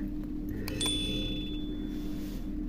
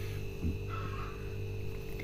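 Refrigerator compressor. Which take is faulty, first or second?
first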